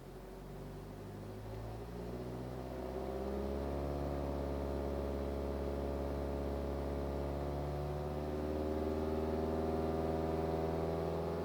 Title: BMW 318d E91 2010 a strange humming sound above 2000 rpm